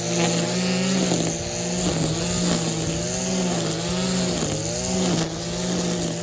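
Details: Stihl KM94 RC combi powerhead with strimmer attachment, tested after a rebuild with new bearings, seals and carb work following years of hard use: small two-stroke buzz with crisp pickups and smooth drops as the throttle is blipped; running well.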